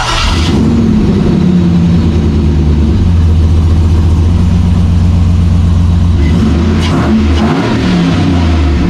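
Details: Bronco II rock crawler after a swap to a 2005 5.3 LS V8 with a Turbo 350 transmission: it catches and settles into a steady, deep V8 burble, revs rising and falling cleanly with no knocks or rattles; normal start and rev.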